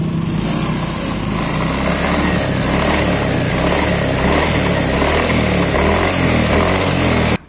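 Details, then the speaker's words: 2016 Yamaha NMAX running with a loose, uneven clattering knock from the rear CVT; it returned a week after only greasing, and the owner suspects the rear pulley bearing or the gearbox bearing. "dan kali ini Saya mau benerin yang klotok-klotok di bagian CVT bagian belakang"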